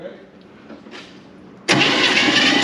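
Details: 1957 Chevy Bel Air, likely a 283 V8, garage-stored since 1976, cranked during compression testing before plugs go in: quiet, then a steady, even cranking whir with no stumble; normal cranking, compression around 90–150, no spark yet.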